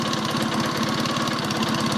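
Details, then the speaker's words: Rebuilt Matchless G11 with third main bearing, all gear-driven timing (pinion, dynamo and intermediate gears): steady fast idle with a light whirr of gears on top; normal gear-driven timing noise, nothing wrong. "you can hear a bit of gear noise on this because it's all gear driven it's got pinion gear gear Dynamo gear and intermediates here"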